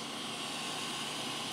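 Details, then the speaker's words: Replacement higher-quality cooling fans on a Creality Ender 3 3D printer hotend prototype, replacing an unbalanced fan worn out after about 100 hours; steady, even airflow hiss with no wobble or pulsing, no vibration. "these fans right there they're not silent you still make a you know a blowing noise but they're a different they don't they don't make the vibrations"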